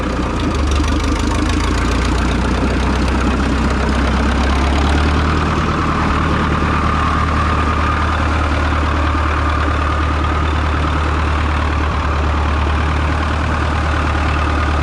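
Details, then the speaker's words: Minneapolis Moline ZAS tractor, just started after an oil change, a coolant top-off and a new glass fuel bowl replacing the leaking one, with a straight pipe and the belt pulley still engaged: a deep, steady thrum with no misses or knocks. It is a healthy idle. "Got to grab a a straight pipe on there. That sounds good."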